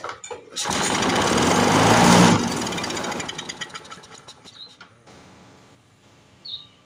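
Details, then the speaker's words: Briggs & Stratton 6.0 hp mower engine, seized from long sitting and freed up, fuel line leaking and rotted: catches on primer with a rough roar, then sputters and dies as fuel runs out; carburetor needs overhaul. "so if you primer it it'll run just as long as that amount of fuel is in there and then it runs out so we're gonna have to go through the carburetor on this"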